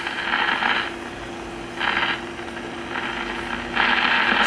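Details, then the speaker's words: 1952 RCA 1X52 five-tube AM radio, after filter capacitor replacement and first IF transformer repair: irregular thunderstorm-like crackling static over hum from silver mica disease. "same thing with the other if can still the same crackling so we did the first if Transformer now we can do the second one"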